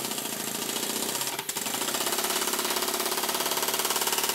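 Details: Stuart 7A vertical steam engine, modified and retimed (recentred both sides, was slightly off/too low), steamed on the bench from a vintage Stuart 504 boiler blowing off just over 60: crisp, even exhaust beats about 3.5 per second; running cleanly, well timed.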